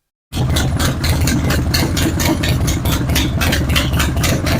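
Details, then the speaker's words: Harley-Davidson Road King V-twin idling with a loping low rumble and a regular sharp clatter on top, about five per second; the bike also has a bad vibration. "But what I'm going to do, I'm going to start this bike and see if you can pick out the noise that this engine's making, and then we'll start to fix it."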